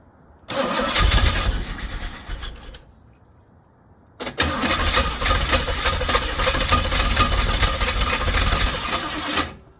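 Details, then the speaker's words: Jeep engine after timing changes for hard cranking: first start runs a couple of seconds then dies; restart runs loud and somewhat ragged without throttle, needing ignition advance by moving the distributor cap forward. "okay so what is it needing it needs Advance"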